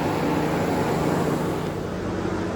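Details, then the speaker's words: Chevrolet/GMC 5.3 L truck, engine off after 15-minute drive, temp gauge reading low at 160: steady rushing whoosh of air with no engine beat; radiator fan keeps running after shutdown, suspected failed coolant temperature sensor. "So the fan stays running. So, common problem with the 5.3 liters is the coolant temp sensor, which I've got one right here."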